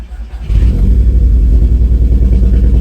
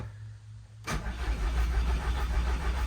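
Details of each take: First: Scirocco R that sat with a dead battery, started and left idling: lumpy, uneven idle; the live misfire counter shows only cylinder 2 misfiring, so heavily that likely no combustion happens there. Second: VW Scirocco R turbo engine with heavy misfires, bought cheap after a workshop said it was shot; cranked for a cylinder 2 compression test with the fuel pump fuse pulled, turning evenly at about three turns a second for six seconds without firing.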